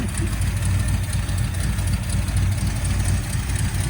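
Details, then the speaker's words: 1979 Ford Fairmont police car revived, first start after a carburetor clean-out: a deep, steady, slow rumble, idling well below where it should sit; low idle speed. "TR that carb clean out works good M styling super low but it's idling was that our easiest one yet"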